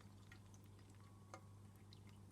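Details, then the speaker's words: Aquarium with a DIY floating Stockman overflow silencer fitted: only a low hum and the odd soft drip, with no gurgling or slurping. The overflow runs quietly and smoothly and does not restrict flow. "to our choir that is and as you can see there's no there's no there's no difference it's not restricting flour in any way"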